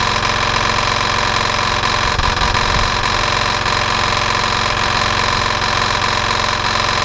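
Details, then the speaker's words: Hayter 48/56 mower's nearly new replacement engine, oil just over max, first run: steady running with a dull repeating knock; owner suspects internal damage, probably the big-end bearing. "okay so that's a pity the engine has got a knocking noise to it I'm assuming it's gonna be internal and it's probably that the big end bearing a sign along that line"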